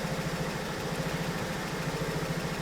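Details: 2008 BMW 1 Series E8x N43 petrol engine, 125 kW, at idle: uneven, lumpy repeating pulse under a steady drone; rough idle misfire, scanner shows misfires on all four cylinders, cylinders 1 and 4 worst.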